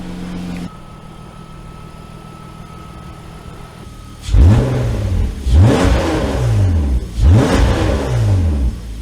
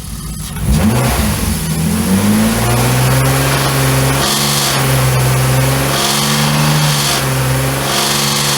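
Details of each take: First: BMW E34 with new S52 engine after swapping to different camshafts: smooth idle then three clean rev blips rising and falling evenly, no knock or miss, mild valvetrain noise considered normal; engine healthy. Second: BMW E34 with freshly rebuilt S52 engine swap and aftermarket 280 camshafts: after a quick rev it settles to idle with a sharp, recurring metallic top-end clatter. Running without accessory belts and changing static cam timing were tried.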